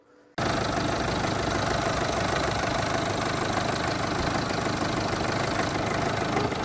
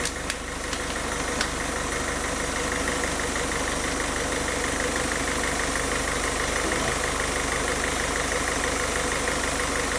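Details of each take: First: 2006 diesel with a hunting rough idle: revs rise and fall unevenly, nearly dying then catching, recurring every few days or weeks; injectors were checked and ruled out; a fuel supply fault is suspected. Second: Diesel car engine after a rough-idle fix for RPM rising and falling at idle, with the fuel system bled of air: steady, even clatter of about three beats a second, no hunting or surging; settled idle.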